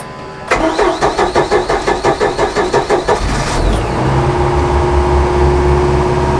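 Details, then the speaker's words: Outboard motor on a boat, cold start with choke and one accelerator-pump stroke at about half throttle: about a dozen even cranking pulses, then catches and settles to steady idle. "throttle not too bad right we'll let it warm up and we'll head up to the uh head up to the W"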